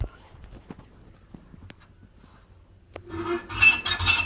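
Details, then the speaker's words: Hotpoint/Indesit tumble dryer after recall modification and motor replacement by engineer: quiet clicks, then loud harsh scraping rattle as the drum turns, drum now stiff; something catching inside, possibly a loose screw, cause unconfirmed. "plugged it back in and it's making an allmighty racket so Uh something's obviously catching inside"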